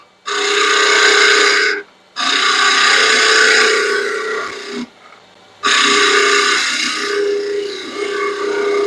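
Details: Lathe turning a long stair spindle, light finishing passes, spindle supported from behind to stop vibration: three even cutting passes with clean steady hiss and tone, no chatter or rattle; spindle turning smoothly.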